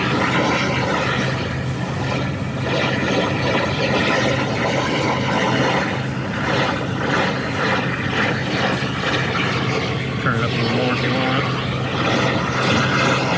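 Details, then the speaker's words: Hussmann grocery deli case on an Emerson Protocol rack, about 70 lb refrigerant lost: steady rushing hiss through an amplified leak detector at the aluminum evaporator coil; large leak, coil needs replacing. "I mean, you can hear it, you can see it on the graph. I mean, it's obvious that it's really big, but all we can do is close that liquid line over"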